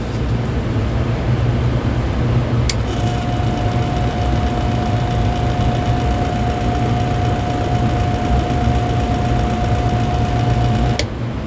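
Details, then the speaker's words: Lakewood DX series fan after about three hours freeing seized bearings, with the motor being retightened. A steady low hum with a thin constant high whistle; the owner suspects the shaft is ever so slightly misaligned and lightly hitting the stator. "Sounds like it could be hitting the stator a little bit. I wonder if it is. I think it may be ever so slightly misaligned."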